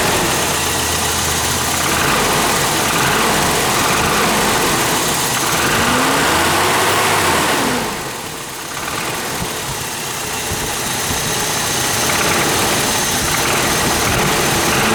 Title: Toyota 22RE Death Rattle Noise In Motorhome